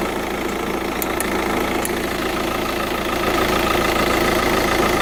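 Steady diesel idle with a light, fairly even tick running about three times a second over the clatter; cause not pinned down.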